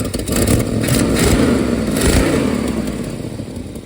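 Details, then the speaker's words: 1970 Plymouth Roadrunner 440 six-barrel, parked since 1991 and first run after 32 years, on a replacement carburetor: big V8 sounds fairly healthy under a rapid, uneven puffing clatter that rises with revs, from a badly leaking exhaust built for a low-deck engine. "ignoring the horrible exhaust leak the engine sounds pretty good"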